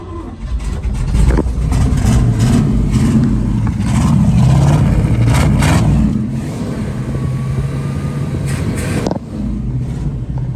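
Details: 1969 Chevrolet K10 350 V8, four-speed, parked about 40 years, first start after dwell adjustment and fuel added: catches and revs up and down smoothly, then settles to steady idle; runs cleanly without misses or knocks.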